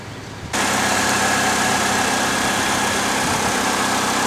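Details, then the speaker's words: 2008 Pontiac G6 2.4 idling right after an oil change and oil-life reset: smooth, even idle with oil pressure up and no ticking or tapping; sounds healthy. "sounds good no obnoxious ticking or anything I think she's ready to go back"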